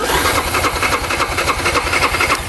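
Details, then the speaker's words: 2009 Yamaha Grizzly 550 EFI ATV with power steering, seller reported high idle that wouldn't come down: quick even starter cranking at four to five compressions a second, engine light on, no firing; cranks but won't start. "So push the start button. The electric power steering button turns on. And then as you crank it, the engine light turns on. But it'll crank and crank and crank for days without doing anything."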